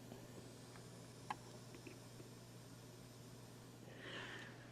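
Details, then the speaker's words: TEA2025B stereo amplifier IC, inputs shorted to ground at about 45 dB gain: only a faint even hiss over a low steady hum, quieter than expected; low amplifier noise floor. "i don't know if that comes over not as bad as i expected i thought there'd be more hiss but it is fairly quiet even at such high gain"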